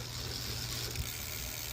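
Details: Aventon Soltera 2.5 e-bike on kickstand after rear derailleur adjustment (previously chain came off in first gear, grinding against motor, and wouldn't shift 4th–5th): steady drivetrain whir, crisp single click as gear engages, no skipping or grinding; normal gear shifting.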